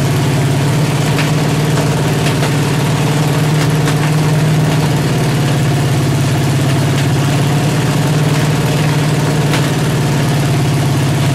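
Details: 383 stroker V8 with 1.6:1 roller rockers on an engine stand, open headers, water-only cooling at 210°, after 2000–2200 rpm break-in. Lumpy idle with pops and spits; valves too tight are held open, idle not yet set.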